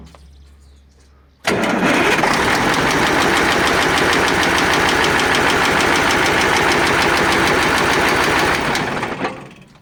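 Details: KAMAZ crane truck diesel that knocks and expels antifreeze: starts and settles into hard, regular knock three to four times a second at idle; gases entering coolant, head or liner suspected. Cause not identified.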